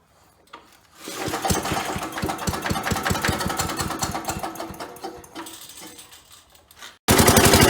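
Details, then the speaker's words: 1977 Agway 1500 W permanent-magnet generator, small single-cylinder engine primed with gas down the carburetor, light plugged in: catches and pops about three firings a second, then fades as fuel runs out; light came on. "so I'm going to put a little gas down the carburetor there and see if it'll fire up here"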